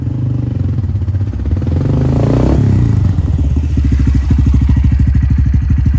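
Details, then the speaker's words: Honda Grom after the repair: low, even engine thump with no rear brake squeal; the rear caliper had squealed and was fixed by cleaning it and greasing the brake pads. "all right as you guys just saw that uh brake noise is not there anymore so incredibly happy with that"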